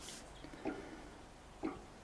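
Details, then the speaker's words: Inverter 5006 paraffin heater, about 15 years old: refilled tank slid in, two soft liquid glugs as the small tank fills through the spring-valve cap; normal. "You can hear a bit of a gurgling there as that little smaller tank is filled up."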